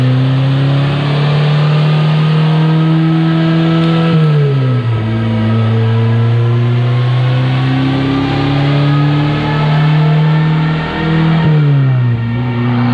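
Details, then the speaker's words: Rally Honda CRX on the move, boost tapered by the driver: strong pulls rising and dropping between gears with no whoosh on lift-off; the blow-off valve never opens. "you didn't feel this there there's blow valves ever open it never it didn't blow the back up or anything that was 252 but the blow-off valve is not opening"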